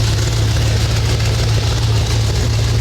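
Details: 1978 Chevrolet El Camino with a newly installed GM Ram Jet 350 fuel-injected V8, first start-up: a deep, even rumble settling into a steady idle with no knocks or misses. Healthy engine.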